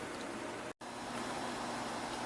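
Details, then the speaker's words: Sun SPARCstation 20 after replacing the fan with a bigger, thicker new fan mounted with Flex Tape: smooth even airy hiss, no ticking or rattle, much quieter than old fan; normal fan running. "Wow this is quiet hearing a little bit of noise from that fan but seems like it's much quieter than the old fan was so there's that"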